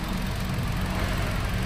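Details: Hyundai Accent petrol engine after fixing misfire (cylinder four not firing) caused by loose wire socket, not the ECU: steady, even low drone idle with no skips or stumbles; firing now even.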